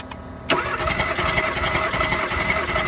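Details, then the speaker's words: 2016 Kia Soul 1.6 L with P0300 random misfire (cylinders 3 and 4), spark plugs removed for a compression test on cylinder 1: reads 120, fine. Steady, even cranking about 160 pulses a minute with no missed beats. Normal cranking compression. "La compresión subió hasta 120. Este cilindro está bien."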